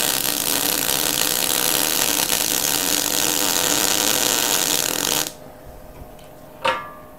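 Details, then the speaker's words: MIG welder, wire speed too high: harsh, uneven crackling, popping and spitting arc for about five seconds; the fix is backing the wire speed off one step at a time, keeping voltage the same. "with a gun like it's popping and it's spitting so what i'll do now guys is go back to the welder and then back the wire speed off just a little bit"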